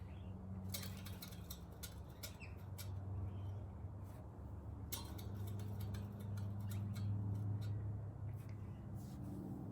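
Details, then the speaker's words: Scott Bonnar Model 45 cylinder mower after professional sharpening, setting reel to bedknife: quiet even whir of hand-spun reel with faint ticks, no scissor-cutting sound; reel not touching bedknife. "so basically i don't even think it's actually touching the bed knife uh which is really really really good so when i spin this it doesn't even sound like a scissors or a scissors cutting effect or anything"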